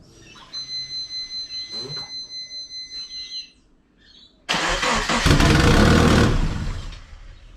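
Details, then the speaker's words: Twin-turbo Subaru Forester with exhaust leaks, gasket not yet replaced: starter churns steadily, engine fires with a loud raspy ticking chuff at idle; leak at turbo up-pipe flange gasket, still pretty bad. "so i'm actually going to fire it up and see if i've decreased the leaks it's still pretty bad"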